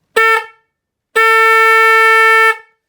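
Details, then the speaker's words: Car/Jeep horn newly installed on a 2009 Trice QNT recumbent trike, momentary switch, after reseating a knocked connector: one short blast then a steady blast over a second, both loud, clear, even; normal horn. "You can hear that is loud. So there you go, car horn installed on a 2009 Trice QNT, and I think that one should have no problems waking anyone up who steps in front of you."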